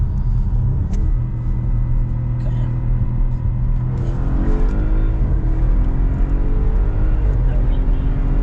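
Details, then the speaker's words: Audi RS7 after cylinder 5 misfire fix, full-throttle pull in manual mode: deep steady roar climbing cleanly with no stumble or popping and no flashing check engine light; previously misfired on hard pulls when cold. "it's doing pretty good i haven't had any issues manual um or sport"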